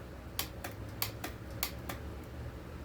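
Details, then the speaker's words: Chainsaw after carb insert fix, OEM oil pump, Neotec tank, engine off: a few sharp clicks as the throttle trigger is worked, like an on/off switch; owner is concerned and unsure if it is right; throttle trigger click. "It has a click. I'm not sure. Sounds like an on and off switch. It's weird."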